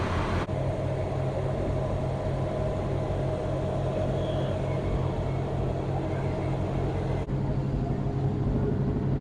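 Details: 1967 Chevy Bel Air station wagon, sat 30+ years, now running, alternator charging about 15 V: smooth, steady low idle hum with no misses, knocks or rattles; idling healthily.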